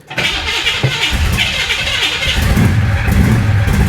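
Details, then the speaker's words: Flooded 1966 Chevy Impala after full fuel system replacement: cranking catches into a ragged, uneven burst that never settles to idle; starts hard and won't keep running, cause suspected, not confirmed. "there it is there it was she didn't idle though come on"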